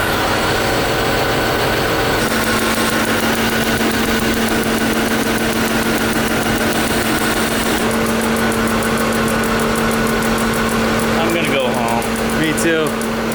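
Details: C4 Corvette V8 after reassembly and a coolant refill: an uneven, lumpy idle with an irregular stumble and a steady whine underneath. Still misfiring at idle; Opti-Spark suspected by others and a compression test planned, cause not pinned down.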